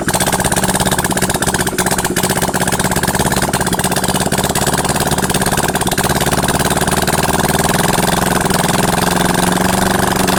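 Twin-cylinder bike engine idling with a steady, even beat and picking up smoothly on the throttle; it runs healthy and clean.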